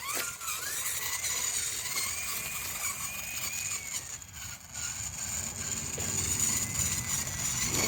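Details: Rebuilt used 1/10 scale RC crawler, SCX10 knockoff, driven outdoors: high, even motor and gear whine rising and falling smoothly with throttle, no grinding or clicks; low-geared drivetrain sounds healthy.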